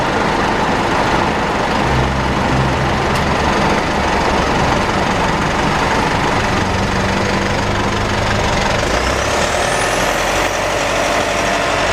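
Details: Mitsubishi pickup with 4N15 diesel and V6AWH automatic, recorded in the cabin: thin high whine rising and falling over road rumble; owner later found rear differential overfilled, burnt front differential oil and ATF about 1 L low.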